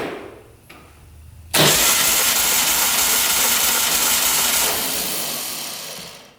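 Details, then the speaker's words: 1967 Volkswagen dune buggy flat-four cranking on starter, compression test cylinder 1, six strokes: steady even cranking, no stumble; about 140 PSI, good (over 100 wanted). "What did we get? About 140 PSI. So that cylinder's pretty good. That's way over 100."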